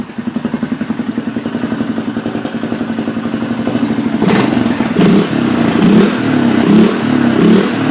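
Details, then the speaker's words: Polaris Sportsman 500 after carburetor rejetting: single-cylinder thumping at fast idle around 1250 rpm, slightly uneven and loping as revs climb; running a bit rich as expected, not fully warmed up. "1250 sounds like or it kind of sounds like it's running a bit Rich oh there goes my case but of course I'm expecting it to run a little bit Rich"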